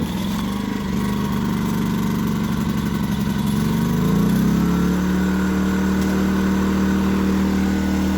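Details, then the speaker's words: New Predator 2000 inverter generator, just unboxed, primed and started with just enough fuel: a rough, uneven hum that rises, then settles after about four seconds into a steady, even drone; normal start and idle, "not very quiet, not very loud." "there it is not very quiet not very loud that's pretty nice"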